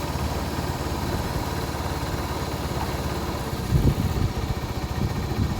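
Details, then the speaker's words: Honda Supremo 150 after replacing worn valve guide and damaged valve to cure valve ticking: quiet even single-cylinder idle with no tapping, settling lower as idle is turned down; healthy engine. "Ayun tahimik na siguro naman matua na mayari nito"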